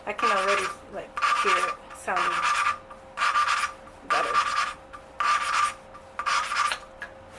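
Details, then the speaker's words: 1982 Yamaha XT200 rebuild, valve lapped with grinding compound: even rasping strokes about once a second with a thin squeak each pass; the seat lapped in to a good dull gray finish. "and um at first you can really hear it like you know grinding but like once it starts like um uh uh grinding down uh it The Sound gets into a higher pitch"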